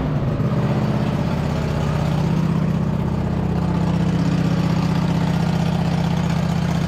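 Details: 2007 White Outdoors (MTD) CT 54 zero-turn mower, Briggs twin, sat 3-4 years, start on choke after top shroud refitted and factory fuel line hooked up: settles into steady, even low-throb idle, no stumbling or hunting, running on its own; normal idle.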